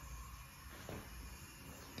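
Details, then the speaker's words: Mercruiser 5.7 V8 marine engine leak-down test, cylinder #1 holding about 85-88%: steady soft hiss of air leaking past the piston rings, heard from the crankcase PCV hole; cylinder judged good. "just sounds like it's coming from the crank case so i think it's coming out of that pvc hole there or that's where i'm hearing the sound"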